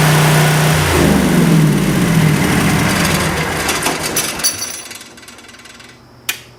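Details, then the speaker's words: Craigslist generator, after leak checks at the regulator and intake: it catches, settles into a steady, even beat, then shuts down, sounding healthy. "Hey, there she goes. That sounded good to me."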